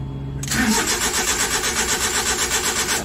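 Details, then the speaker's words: Suzuki Big Eye with F6A engine, hard starting: starter whirs about four pulses a second but the engine never fires; fuel pump, ignition coil and valve clearance checked OK; suggested fix is replacing the ignition socket. "an start natin ayaw mag-start ayan start natin ulit yan"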